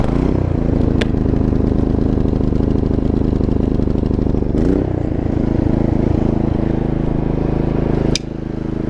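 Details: 3500 dual-fuel generator on the gasoline setting with its battery disconnected: small single-cylinder engine holding a steady, even chug at constant speed with no misses or surging; it runs fine on gasoline.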